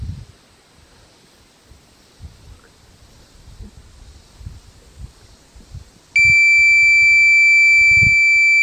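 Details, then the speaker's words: Minelab Pro-Find 40 pinpointer lost alarm: after about three minutes left on with no activity, a loud steady high beep holds about two and a half seconds. It repeats rather than sounding continuously, presumably until the 9 V battery depletes. "this is what you would hear in the wild if you lost it with it on okay and you left it laying on the ground so it's not a continuous beak okay"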